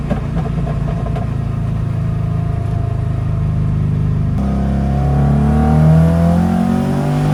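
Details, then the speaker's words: 300hp Subaru WRX-engine-swapped VW Beetle, at operating temp after fuel filter replacement, driving: clean pull through revs at 17 psi boost, tone climbing smoothly, no misses; strong healthy boost pull. "We're hitting 17 psi boost without any issues and it pulls hard. Kind of forgotten how freaky this car is."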